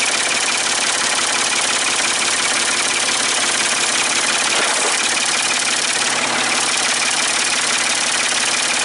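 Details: Ford 550 TLB backhoe, 3-cylinder diesel, running after reassembly and bleeding fuel at injectors, cool day: steady even idle clatter without misfire or knock; running properly, only a small injector return-line drip.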